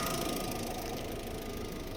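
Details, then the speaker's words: VW Polo 1.4 at first start after a head gasket replacement, still warming up, oil not yet changed. Steady, even idle with a faint high whine on top and no knocks or misses; idling fine. "idling fine. Let's see. So far, it sounds fine."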